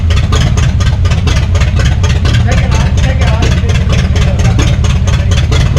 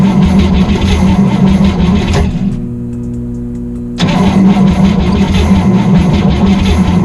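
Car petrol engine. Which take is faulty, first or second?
second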